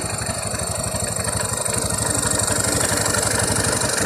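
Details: Honda Beat FI scooter idling: quick even beat about three a second with dry rattling clatter from the CVT, a rough noisy CVT suspected to result from infrequent CVT servicing; not confirmed.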